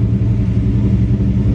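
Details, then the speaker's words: SN95 Mustang V8 converted to a carburetor, with the idle screw at the factory base of 1.5 turns: deep, even, fast steady idle; high idle, still rich at AFR around 14.6–14.8. "All right, and that's what I figured. It would be high, a high idle."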